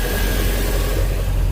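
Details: 2003 MerCruiser boat engine after no-start, fuel cleaned up: runs steadily with even low rumble, no misses or stumbles; fuel flow about 26.4 gallons per hour, pressure drops about 2 psi.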